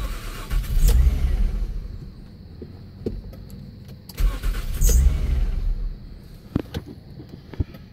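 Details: 2002 Nissan Maxima SE that sat a week without running, now with a new battery replacing a 6-year-old one; two bursts of rapid starter churning at about three turns a second never catch: cranks but won't start.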